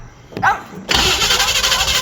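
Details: Small or big block Chevy sitting a long time, just fitted with a new mechanical fuel pump, carb bowls being filled: starter turns it over at a steady quick beat for over a second but it never fires. Cause suspected, not confirmed.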